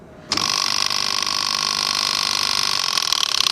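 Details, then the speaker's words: Wagner 435 7.8 hp diaphragm paint pump that also leaked hydraulic oil, on startup: harsh, steady high-pitched mechanical racket from the start; suspected internal fault in the hydraulic housing, not yet confirmed. "Now off the bat, that sounds to me like it's something internally within the hydraulic housing."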